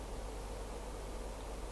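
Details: Xiaomi air purifier restarting after a filter reset (power and light buttons held until it beeps, filter ID shown): steady airy whoosh as the fan speeds up, no knocks or rattles; normal.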